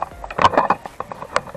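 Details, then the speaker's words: Motorcycle top box with a loose lock mount: irregular hollow plastic clunks as the case is rocked by hand. The keyed lock portion wobbles and rattles, and a noisy top box is often wrongly assumed to need replacement. "Ito yung kumakalampag guys, tumiingay. Yung portion na to. Siyempre, ang isipin mo na dyan guys, may problema top box mo."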